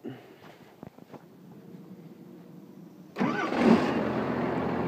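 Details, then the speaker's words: 1989 Cummins diesel swapped into a 1996 Ford F350, wiring temporarily rigged: quiet, then the starter engages and the engine catches right away, settling into an even rumbling idle; healthy start. "starts right up Rev it up there you go"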